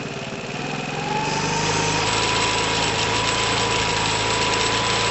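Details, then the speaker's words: 2012 Piaggio Typhoon scooter with a swapped 125cc engine, after the emissions tube is blanked off: brief rise, then a steady even idle held on its own without hunting or dying. "there you go we should be back to good normal idle now you need to kind of wiggle the back break up and down so that's it just right just idling guys off its own back"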